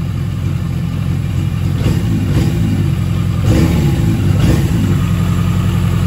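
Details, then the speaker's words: Yamaha XJ750 carbureted four that wouldn't run, after Seafoam fed into the carbs, sitting a day, and idle screw adjustment: steady low, even burble, slight rev rise, no knocks or misses; starts and idles smoothly. "seafoam for the wind sea foam heck yeah man that sounds great especially before it wasn't even running i started right up"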